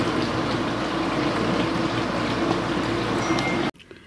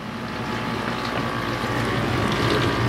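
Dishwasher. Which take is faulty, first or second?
second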